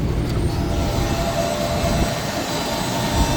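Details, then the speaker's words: HVAC unit blower with a plugged-drain suspicion, water everywhere, shortly after another company's maintenance; constant heavy roar far louder than normal, no clean tone; loose or bad belt possibly at fault. "looks like a loose belt possibly there's water everywhere it sounds like death"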